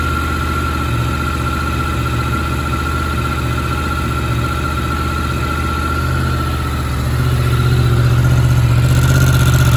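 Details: Yamaha MT10 started stone cold after sitting 3 weeks on a trickle charger: an even, steady idle with a smooth low beat that picks up cleanly near the end. Sounds healthy.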